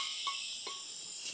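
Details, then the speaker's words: Superformance GT40 AC system: steady sharp hiss of refrigerant escaping from charge port after recharge attempt, valve core not sealing, releasing the charge; refrigerant leaking from service valve. "So there's definitely something up with this thing, because that's what I was doing before. It's just releasing the charge. It's almost like the Presta valve is not sealing."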